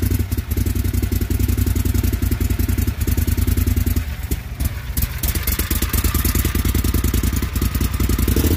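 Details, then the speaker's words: John Deere XUV 625i Gator with a mechanically operated throttle, no flash code set. Uneven, stumbling engine beat whose firing falters and breaks up midway; rough running from a faulty throttle body stepper motor. "well you guys heard how bad that thing was running before and not so much as a single flash or anything else"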